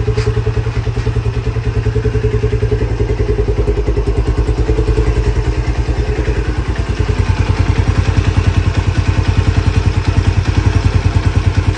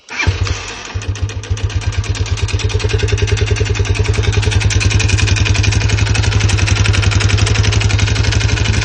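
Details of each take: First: Lifan CityR 175 motorcycle, 10,800 mileage, in for engine knock: cold single-cylinder idle with steady, even low thump and no knocking; carburetor flooded with overflowing floats, but everything otherwise working normally. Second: Lifan CityR 175 (162FMK single, 10,800 km) idling with a hard, regular unhealthy knock after suddenly stopping at 90 km/h; head and cylinder to be removed.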